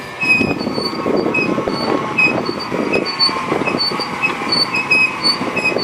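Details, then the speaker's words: Car rolling: repeated high-pitched brake pad chirps over tyre rumble; a sand or stone particle wore a groove into the disc, leaving a ridge on the pad; sanding the ridge stopped it, disc needs machining. "Если хорошо прислушаться то можно услышать писк [аплодисменты] такой вот так вот свистят колодочки"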